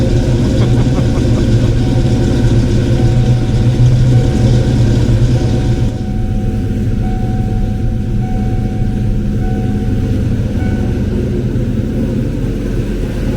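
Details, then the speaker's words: Ford Foxbody Mustang 5.0 V8 with rebuilt Kenne Bell 2.1L supercharger, after correcting a couple of botched spark plug wires: steady, even idle with a light blower whir and no clanging or banging. A slight squeal is heard, possibly the belt. "Blower seems to be spinning and not clanging and banging, so that makes me happy."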